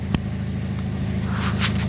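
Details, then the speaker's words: 2005 Hyundai Accent idling after backyard exhaust repair, flange section welded in; steady soft low hum, no puffing or ticking at joints; no leaks, quiet. "oh welded in no leaks nice and quiet got a little gray peg in there that's for you guys complain about all you welders I'm happy now I'll be able to hear myself think again"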